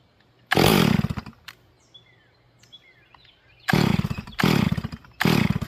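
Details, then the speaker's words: Stihl MS440 during manual carburetor tuning with the low jet barely open and the idle jet richened: short throttle bursts that sound blubbery and bog, with near silence between. The mixture is far too rich and probably flooded. "Yep. All right. So, it's way too fat. It's probably flooded. I'm going lean all these up a little bit."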